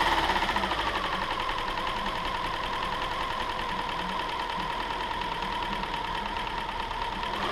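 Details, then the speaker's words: 2007 Subaru Outback 2.5 SOHC interference engine, wrecked parts car, test-fired after timing belt replacement without cooling system: quiet, even idle with steady hum and light valvetrain ticking, no stumble or miss; running fine, no misfire codes. "Well, there you have it, guys. A pretty smooth running little engine."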